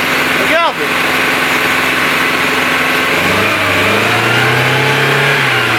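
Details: Renault Trafic, rebuilt junkyard C1J S 7000 engine unrun about 15 years, cold start on the original cracked distributor cap: it catches with a rising whir, then idles with an uneven, lumpy beat; it misfires because two plug leads are swapped.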